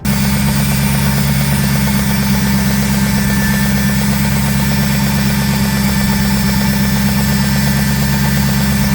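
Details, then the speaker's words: Aston Martin V8 Vantage with a faulty brand-new PCV valve fitted: steady idle with a constant low buzz riding over it, unchanging; the buzzing PCV valve is bad and that noise should not be there. "of course, that noise should not be there. That's not how the engine is supposed to sound, and nor is it how the PCV valve is supposed to sound, which is how I knew this one was bad."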